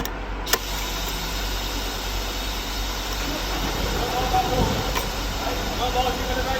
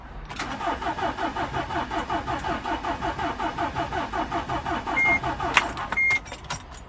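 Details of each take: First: 2009 Mercedes Sprinter 313 CDI diesel after a sensor and alternator replacement for a hard-start fault, with the battery suspected weak: catches quickly and settles into a steady, even clatter with no stumble or misfire. Now starts and runs properly. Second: 2009 Mercedes Sprinter 313 CDI diesel, long-standing hard start: steady cranking about two beats per second for several seconds without catching before it eventually starts.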